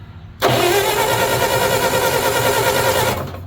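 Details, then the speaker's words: Bobcat loader, possibly a 610, unrun for about five or six years, after the ballast resistor was removed: about three seconds of rough, uneven cranking with occasional intake pops; it tries to fire but never runs. "I think it's popping through the intake every once in a while which means it's doing something"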